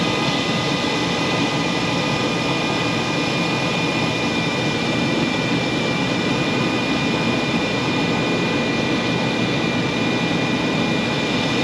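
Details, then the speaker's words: Furnace induced draft (inducer) motor, after circuit board replacement for no heat: constant loud whooshing roar with steady whining tones; motor sounds noisy and likely going bad, not yet replaced. "I don't like the way that motor sounded I'm gonna have to do a little bit of investigating on that that motor almost sounds like it's going bad"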